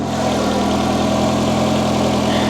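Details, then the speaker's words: Warm Chevy truck V8 idling with hood open: smooth steady idle, even low hum, no ticks or knocks, quieter than at initial start; faint oil-burning smell, owner suspects leaking valve cover. "sounds like it's quieted down since we initially started"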